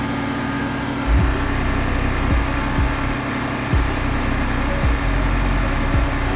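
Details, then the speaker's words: 1989 Chevrolet R3500 dually, R134a AC retrofit, engine at 1500 rpm charging first can: steady hum with irregular dull thumps every second or so; loud labouring compressor. "That compressor's loud."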